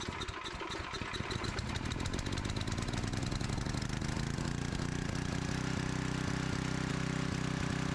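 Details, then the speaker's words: Small generator engine running while carb cleaner sprayed on intake gasket; steady even beat with no rise or stumble, so no vacuum leak at gasket, avoiding need for new carb. "so that made no difference and that makes me happy because uh i don't want to just throw a new carb on here if"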